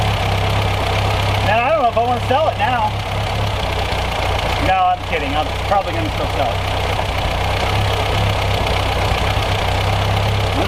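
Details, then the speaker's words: Four-cylinder car running on fuel in the system, fuel hose clamp not quite holding: steady even low idle with smooth regular beat, no knocks or misses; normal idle. "Yeah, that fuel clamp ain't quite holding my hose on, but it's running off its gas that's in there pretty good. No complaints here."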